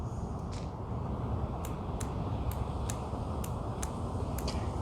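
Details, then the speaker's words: Mazda Miata MX-5 with a rough, stumbling idle; boost sensor solenoid bench-tested with jumper box, sharp dry clicks about twice a second over a low hum, so it works electrically and is not the cause. "and unfortunately i was hoping it wouldn't click because that would mean i may have an easy solution but that is uh that is working"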